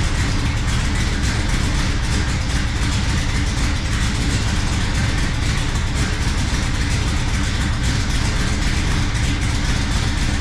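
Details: 1970 Dodge Super Bee with Gen 3 Hemi, Holley Hi-Ram EFI and Terminator X, after fixing vacuum leaks: deep lumpy loping idle with no steady rhythm; still misfiring rough idle under 10 inHg vacuum, cause unknown.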